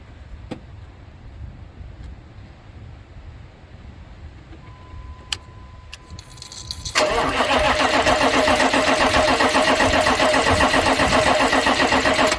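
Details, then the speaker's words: 1996 K2500 6.5 turbo diesel after fuel line repair: long steady cranking churn, about four beats a second, never catches while trying to push fuel through after opening the bleed hole; air in the fuel system prevents starting. "i'm just gonna go in and crank this thing over see if we can push some fuel water there"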